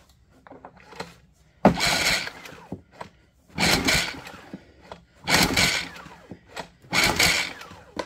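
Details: 2019 Generac iQ2000 inverter generator, choke fully on, start mode, new ignition coil already fitted: sharp pull-cord strokes roughly every 1.7 seconds and the engine never fires; spark checker shows no spark, electronics suspected in the inverter module.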